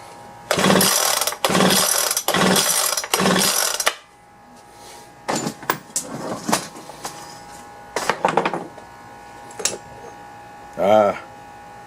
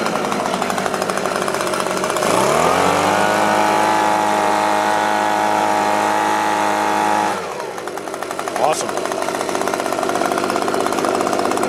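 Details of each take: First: Leaf blower recoil-start attempt with choke: four quick rasping pulls with no firing or catch between them. There is no spark, so it cranks but won't start; compression later read only about 35. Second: Echo leaf blower after checking fuel lines, carburettor, spark and compression, choke on at start, air filter back plate missing: two-stroke catches and holds a steady high buzzing tone for several seconds, then drops back to idle; normal running.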